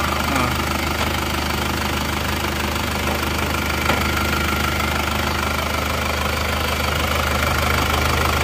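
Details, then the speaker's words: Isuzu Panther Touring diesel that lost coolant on the highway and had low compression, idling after rebuild with injector pressure adjusted: even, fast clatter over a steady drone with no misses; running smoothly. "Oke, sudah berjalan. Suaranya halus."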